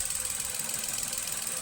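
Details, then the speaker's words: 2015 Nissan Note with a rough idle and sluggish acceleration, after repair of a suspected failing ignition coil, heard at the tailpipe: even, steady idle with a smooth regular pulse, no longer missing, vibration gone. "So, I don't know if you can hear it, but it's no longer missing."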